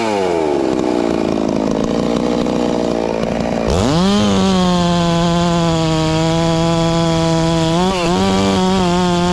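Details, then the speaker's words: Ported, newly tuned Farmertec MS660 two-stroke chainsaw with stock out-of-box chain cutting cookies: snaps up to a high, steady scream and holds revs through the cut without bogging; tearing through fast, strong under load. "i tell a little more about how fast the saw is but she's tearing through hickory pretty damn fast uh when the big pine logs just not slowing it down at all"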